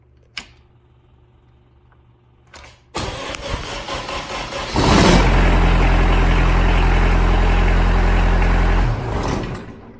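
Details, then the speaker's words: Kubota F3060 diesel front-mount 72-inch 4WD mower, cold winter start on glow plugs only (heater not used): several seconds of cranking, then it catches and settles to a steady even idle before shutting off; clean cold start. "What I'm going to do is I'm first going to start it with just my glow plugs, and this also does have a heater to start it up. But first, we're going to start it with just the regular glow plugs in the starting process."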